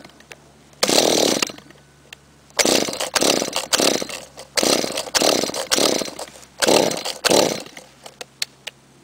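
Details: Trimmer unstarted for a month and a half: repeated pulls about every two seconds, each only a brief raspy sputter that never keeps running; hard starting.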